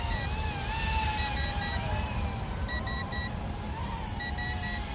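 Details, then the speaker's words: ZLL SG100 Plus 2 brushless RC fighter-jet drone in flight: sharp high beeps in sets of three over a wavering motor whine; low-voltage alarm sounding, lights flashing. "oh it does have a an lvc alarm as well you guys can hear that beeping as well as uh the visual lvc there with the lights flashing"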